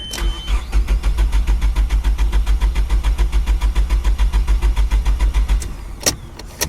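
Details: SR20DE manual Nissan Primera, fuel pump rewired through a 20 A fuse and heard priming at key-on: steady starter churning about 3.5 beats a second, never firing. Owner wonders whether spark is also lost; cause unconfirmed.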